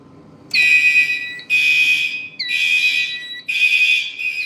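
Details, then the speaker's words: A fire alarm panel drill run with the horn circuit disabled: a high shrill alarm tone sounds in bursts about once a second with short gaps, at a steady pitch. The panel's drill signal is working normally. "And just for purposes, I'm actually going to disable the horn just for now. So, alright, you know the drill. Yeah. Alright, he's saying to drill it, so we're gonna drill."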